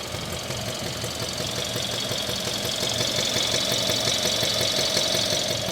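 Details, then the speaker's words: 2016 Kia Optima GDI engine, 78,000 miles, check engine light with code P1326, at idle: steady light knock about three per second from lower left near the pulleys and belts; quieter on acceleration, louder off throttle, cause undetermined. "this noise gets quieter upon acceleration, but then when I take the foot off the accelerator, the knocking returns and gets louder."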